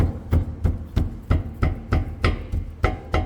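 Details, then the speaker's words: Honda Accord 7 steering rack on the car, left side with torn boot; power steering fluid shows metal shavings from failing pump: sharp hollow clunks about three times a second as rack is worked; steering rack knock. "рулевой реке слева присутствует стук пыльник порван с правой стороны"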